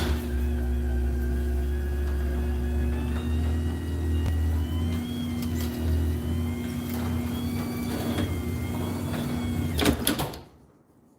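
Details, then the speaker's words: Newly swapped-in garage door opener while setting limits and force. A steady, quiet motor hum with an even drone through the whole travel, then a clean stop; normal, healthy running. "But let's get the limits and force set on this opener and also just hear how quiet it is."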